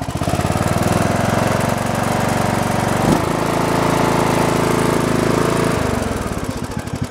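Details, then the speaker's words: Briggs & Stratton Intek 17.5 HP on a lawn tractor, after carburetor cleaning (previously sputtered): single-cylinder engine thumping at a steady, even beat with no stumbling or hunting; normal idle, runs better. "now it's idling god because the video say just gave a little pass to make it all right oh i don't know why it's doing that but it is it runs better"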